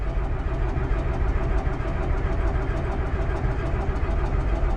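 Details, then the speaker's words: New Holland 1895 forage chopper diesel, cold: low, even cranking beats repeat with no firing or catch, cranking without starting while battery runs down; owner jokes about more glow plugs and fuel, cause not confirmed. "You know, every time I get the camera out trying to show off starting this thing, it's a little squirrely, isn't it? Come on. Something fire."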